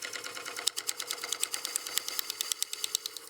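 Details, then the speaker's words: Lathe truing up a wet, highly figured walnut platter blank: sharp, even ticks about ten per second, once per turn, over the cutting hiss, as the checked (cracked) piece of the blank strikes the tool. "You can hear that ticking noise, that's that checked piece."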